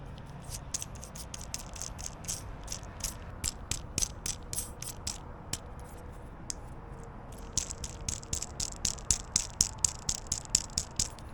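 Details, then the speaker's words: Jeep Gladiator, right passenger-side tensioner pulley removed after months of under-hood squealing and spun by hand: sharp, uneven clicking rattle. Bearings suspected bad; the new pulley is silent. "I don't know whether you can hear the rattling noise but that's probably the bearings going bad"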